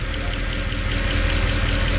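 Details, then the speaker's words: 2014 Mercedes C63 V8 with 91,000 km, first cold start after maintenance. Quick, even light ticking rides over a deep idle: hydraulic lifters ticking until they fill with oil, which is normal. "classic what you hear it's normal it's the first start after the lifters double"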